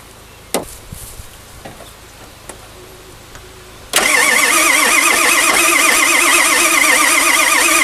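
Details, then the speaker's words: 1997 Ford F-350 pickup with swapped-in engine that sat 10+ years on a pallet, cranking after a replacement crank sensor was fitted: steady strong cranking, even, but it never catches and the tach doesn't jump; crank no start. "So no, we still don't have any tack that's jumping around."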